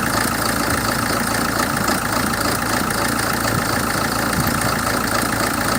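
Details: 2007 Hyundai Terracan CRDi diesel idling: uneven lumpy beat, about four pulses a second not evenly spaced; rough idle, cause not clear.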